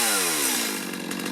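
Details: Stihl chainsaw after carburetor repair and adjustment, previously hard to start when warm and bogging: revs high and clean, even two-stroke note falls smoothly off throttle with no bogging; normal running.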